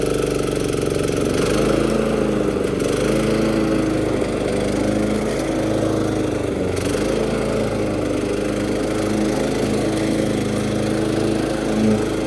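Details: Old John Deere JX-75 mower, first season use after sitting all winter, previously flooded by over-choking: single-cylinder runs smooth and even with small speed dips as it bites into grass; healthy.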